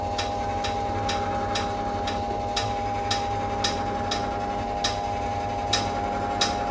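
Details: NordicTrack treadmill incline motor: a sharp metallic ding about every 0.6 to 0.9 seconds over a steady motor hum while inclining or declining, with or without a user. The fix tried was tightening the incline motor bolts and frame screws and lubricating the incline bar.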